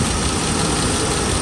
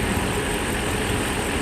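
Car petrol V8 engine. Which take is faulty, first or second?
first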